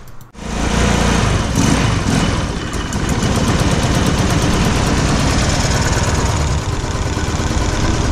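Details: 150cc GY6 scooter that starts but won't idle even after idle-screw adjustment: small single-cylinder idling loud and uneven, beat stumbling and wavering; rough idle from carburetor flooding.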